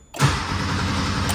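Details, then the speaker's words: 1982 Porsche 911 Slantnose, start attempt after 20+ years: starter churns at an even cranking beat with relay clicking but no fuel pump hum; engine never catches. Relay tested fine, fuel pump probably seized. "you can hear it clicking but the fuel pump is not running and you can hear it clicking also when you um actually start cranking cuz the fuel pump typically doesn't run in the on position it's going to run"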